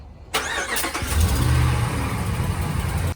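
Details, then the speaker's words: 2015 RAM 1500 5.7 Hemi on cold start, before repair: engine settles into idle with light quick lifter-like tick over the rumble that goes away when warm; exhaust manifold leak from broken header bolts. "I'm going to attempt to fix the uh leak the exhaust leak it's like a ticking noise it sounds like uh lifters ticking sort of um only on a cold startup though that's how you know um that it's not the lifters because it goes away"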